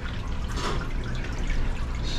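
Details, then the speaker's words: Commercial Hoshizaki ice maker not making ice, after alarm reset, during tank fill cycle: low steady hum with irregular dripping and trickling as water escapes; technician suspects water loss prevents ice making. "you see that drip so if this thing runs for like half an hour and just constantly losing that drip or losing water it's not gonna make ice"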